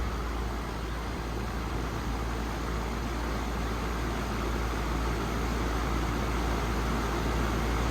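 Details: 2017 4-ton air conditioner with LG scroll compressor, suction line cold and sweaty, liquid line warm: steady, even low rumble with no knocking, rattling or squeal; running normally.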